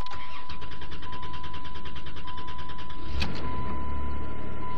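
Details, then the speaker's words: $200 ex-school Chrysler Town and Country, 3.8 V6 gas, all-wheel drive, 129,000 miles, not run in a while: cranks about three seconds at nearly three beats a second before catching and settling; never fires right up but runs good, oil pressure nearly full. "been running in a while, so never really fires right up. But regardless, runs good."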